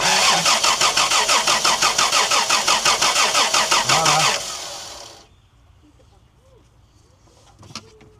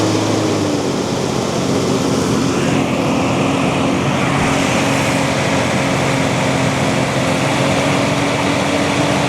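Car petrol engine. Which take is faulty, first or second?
first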